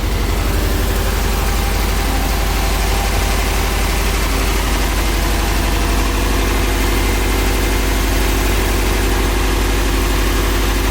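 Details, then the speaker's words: Nissan 240SX S13 after replacing parts: a lumpy, uneven idle with a heavy shaking throb about four beats a second. The engine bounces, and it dies instantly when revved. Misfire cause unclear. "No, you see the engine shaking so much. Yep, there it goes again. Wow, this motor bounced."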